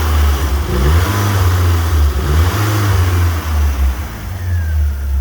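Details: Fiat Punto GT after refuelling, having stopped likely from running out of fuel or bad fuel: steady, even low rumble at idle with smooth rev rises, no knocks or misses; idles and revs cleanly.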